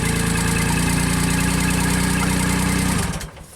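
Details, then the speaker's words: JLG Baby Scissor lift small engine, cold, original crankshaft position sensor set 1 turn out from reluctor teeth: starts and holds an even, steady idle about three seconds, then shuts down cleanly; crank signal present, running normally. "Crank it. Yes. Very good. We'll let it run for a little bit, warm up."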